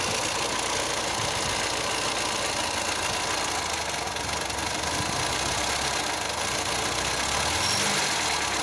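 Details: 1997 Škoda Felicia 1.3 engine at idle: rapid light knocking, roughly three or four a second, over a steady idle; knock seems to come from the left side, possibly not from the engine itself.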